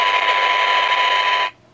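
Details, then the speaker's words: 1978 Craig 4103 23-channel AM CB radio: harsh hiss and distortion through the speaker that cuts off sharply, traced to weak detector diodes in the second IF stage; replacing them with germanium 1N60s gained a couple of dB. "bring this a bit cleaner because to me they shouldn't be doing that we're picking up a fair bit of noise and distortion"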